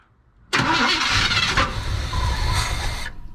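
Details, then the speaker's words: 1976 Chevy Cheyenne 4x4, start attempt after sitting: about three seconds of steady cranking with sputters but no catch, sounding flooded; owner suspects the old electric fuel pump, replacement pending. "Yeah, I think the electrical fuel pump's just not, it's old, you know, but didn't it sound good for a minute there?"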